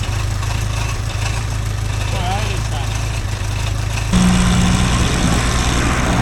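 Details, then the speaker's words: Toyota 18R engine in Crumpy, rebuilt after a 12mm rocker cover nut went through the timing chain, first start after retiming: steady low idle with an even pulse and no skipping; a slight rattle, otherwise sounds alright. "Oh well, Sounds alright. Didn't sound like death. didn't explode."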